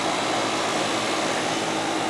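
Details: Goodman AC condenser with TXV during yearly maintenance, charge checked with superheat and subcooling within 3: smooth steady air rush with low constant hum, no rattles or squeals; running normally.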